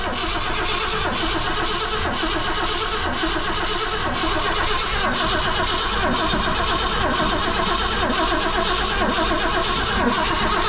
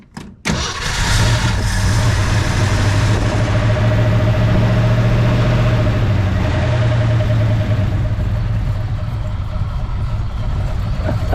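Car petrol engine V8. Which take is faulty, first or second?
first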